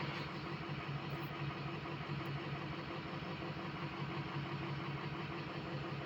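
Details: Diesel project truck idling after all 8 glow plugs replaced: low, uneven loping beat about twice a second, struggling to build speed; code check points to cylinder 3 misfire, owner plans injector buzz test, cause unconfirmed.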